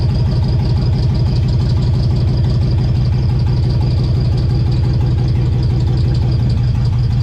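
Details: LS-swapped V8 on its first start: a loud, lumpy idle with uneven, stumbling pulses, a misfire traced to the coil pack being mounted upside down, which swapped the coil wiring.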